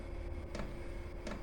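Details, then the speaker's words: Chinese diesel heater start-up in a garage, exhaust routed through a home radiator: glow plug heats up, about 3 minutes to get going, then the diesel dosing pump ticks roughly every 0.7 s over a low rumble as the burner catches; normal start. "and then you'll start to hear the there you go, bang on cue, the diesel pump tapping away in the back, and then you'll gradually get a little roar,"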